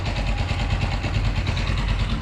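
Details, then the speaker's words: Blackbird 250 single after repairing an engine whose cylinder seized, apparently from oil starvation; deep, even thumping idle with steady firing, no knocks or rattles, fault declared fully repaired. "pero sí amigos feo que hacía ya parejita amigos Ahora sí podemos decir que la falla quedó totalmente reparada"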